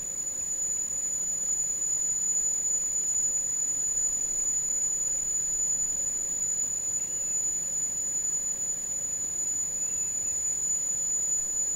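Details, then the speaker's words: Marantz PMD 520 three-head cassette deck set to normal speed, running auto bias calibration: steady high-pitched test tone over faint hiss without a break; calibration runs thoroughly and finishes with no error. "okay and these are the biased chit tones but if you hear that but like i said they uh it's very thorough the biasing"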